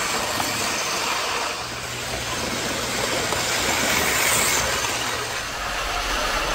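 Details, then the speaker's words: 1980s Hornby APT model train test run after a ringfield motor upgrade kit replaced its worn armature; a smooth, even motor whir with steady wheel clatter and no stutter or grinding. Normal running. "all right let's just put a little bit of power through wow well that certainly wants to go that's uh very sprightly"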